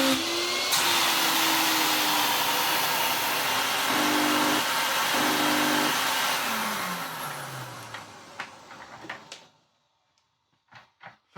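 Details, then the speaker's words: Vax Rapide 5150 3-in-1 vacuum, an eBay unit missing most parts, on first power-up. A strong, steady high-pitched whine shifts with the speed setting, then winds down cleanly with no grinding or rattle. A healthy motor running normally. "a motor that looks and sound well looks like that, it sounds really good."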